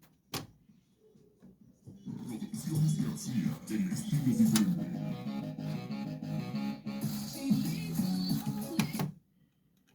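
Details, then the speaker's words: LG speaker's large lower 6.5-inch woofer wired in series with another for testing: music comes through with a smeared, sweeping buzz in the low-mids; the noise disappears when the large woofer is disconnected, so it is faulty and gets replaced. "entonces ahí está ese sonido barrido que dice el cliente que es el que se escucha"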